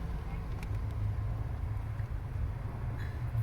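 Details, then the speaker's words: Van steering, with the engine running, now quiet while turning the wheel after lubricating the rubber that was rubbing on the steering shaft down low; the noise came from there, not from up top. "yo creo que que si se quitó el ruido verdad que no tenemos ruido"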